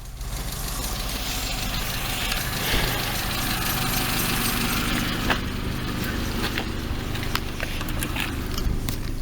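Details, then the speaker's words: Peugeot 206 about five minutes after adding High-Gear remetallizing oil additive: low, steady even idle with no knocks or misses, tach dropping to 500 rpm from 900 before; some background clatter. "chez 206 Peugeot, on voit bien vraiment que la flèche est descendue jusqu'à 500 tours par minute en moteur en arrêt. C'est fantastique. Le bruit moteur est donc voilà, ça descend et ça descend."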